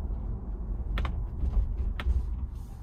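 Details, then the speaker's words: New 2021 Ford Bronco with optional molded-in-color hardtop: sharp irregular pops and creaks from the roof panels over steady road rumble while driving. "ike i said it sounds like little dwarves above my head making popcorn or mining for something"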